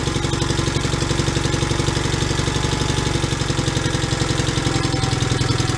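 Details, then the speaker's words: John Deere 318 garden tractor engine after bypassing bad fuel with a fresh tank, no choke: steady idle with even firing and no stumble or hunting, started much easier; sounds healthy. "all that started a lot easier"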